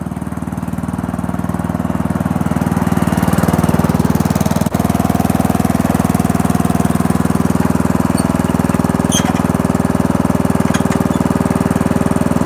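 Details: Old Murray riding mower with a 12 hp Briggs & Stratton engine, cold start after the fuel is turned on: steady, even firing at constant speed with no misses, knocks or squeals, running healthy; runs, rides and cuts well.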